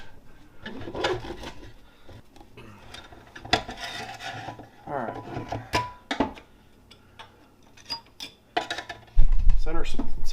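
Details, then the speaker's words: 2004 GMC Sierra 4L60e transmission teardown, 180,000 miles, truck lost 3rd and 4th gears (valve body suspected): quick, even dry clicking as the one-way clutch is spun by hand, no grind or catch; normal freewheel ratchet. "one-way clutch normal to make that noise we'll pop that apart later and check it out sounds like everything is in good shape there"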